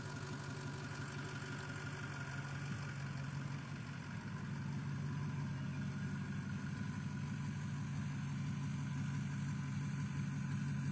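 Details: 6.0 engine idling low and uneven with a knock of about three beats per second that never smooths out, pointing to bad injectors.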